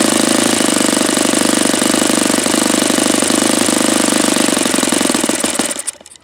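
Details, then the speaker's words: Saito FA-72a four-stroke model engine, swap-meet find with rebuilt internals but carb not gone through, low-speed needle about two turns out after leaning: fast, rough single-cylinder beat holds, then sags and dies at idle; cause suspected, not confirmed. "Okay, so it's just wanting to die out here."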